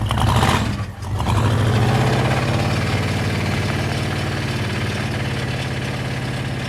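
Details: Blown engine on a mildly chilly start: catches and settles into rough idle with uneven low knocking under the exhaust; owner calls it a rod knock despite oil pressure, unconfirmed.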